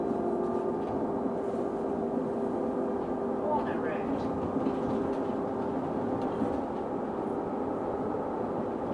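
A steady, unchanging mid-pitched hum holds over the bus's running noise the whole time; the whine's source can't be pinned down.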